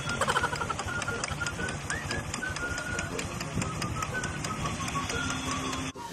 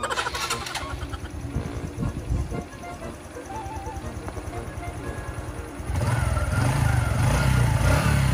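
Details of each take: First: Honda RS125i motorcycle engine running with a quick, even clip-clop ticking like a horse carriage (kalesa); a new damper did not fix it, the culprit found was a cracked internal part knocking. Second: Honda RS125i motorcycle after engine was removed and reinstalled to adjust the chain: engine fires up and settles into an even, steady, quiet idle with no clatter or knocking; normal idle.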